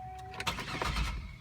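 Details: 2003 Buick LeSabre, 3800 Series II 3.8L V6, 74,000 miles, cold start: short starter burst after door chime, engine stumbles without catching cleanly on first try; hard starting, owner guesses it needs a tune-up.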